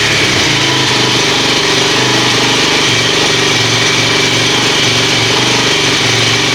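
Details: Kawasaki KFX400 single-cylinder quad after a wet winter outdoors, serviced with new carburetor, cable and oil change, choked cold start: catches right away into a steady crisp idle, no misses or hunting; runs smooth.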